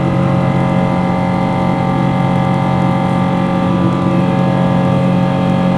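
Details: Boeing 777 engines shortly after takeoff at climb power, louder than the recorder had ever heard: loud steady jet roar with a harsh, strained, gritty droning hum underneath; abnormal grinding noise, cause unknown.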